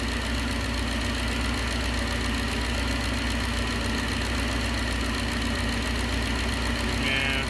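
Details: 1969 Gloria supercharged V8, first run: steady rapid rod-knock-like ticking over a rough idle, getting louder as crankcase vacuum pulls the baffle inside the cam cover down against a part; noise stops when vacuum removed.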